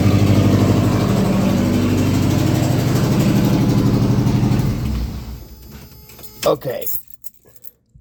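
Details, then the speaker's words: Slammed mini truck, first start with new exhaust while header has an open hole: loud raspy putter at idle, about four sharp choppy pulses a second like a misfire, then shut off; exhaust leak at header. "it sounds awful it sounds absolutely terrible especially with the hole in the header it sounds like a constant misfire but i don't think it's gonna be that bad"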